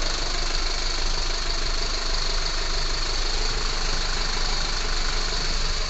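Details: Unit 45 217 running hot (Torino MD) with a failed fan clutch: steady idle with a coarse, uneven rumble and rough shake underneath, engine vibration from the fan clutch fault.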